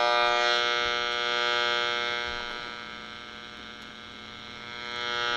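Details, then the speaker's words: AM radio held near an LED light bulb picks up a steady raspy buzz with stacked tones that swells and fades as the radio moves. The interference is strong up close and nearly gone beyond about 3 ft (1 m). "yeah up close you're going to get some noise but you step back about 3 ft well 3 ft is probably back here 3 ft to a meter and it's really not making any interference"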